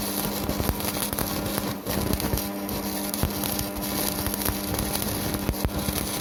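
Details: Strat 160KS welding inverter, 2 mm gap, 2.5 mm electrode: a steady low hum through the arc's irregular crackle and pops; it hums under load while still welding, cause unknown.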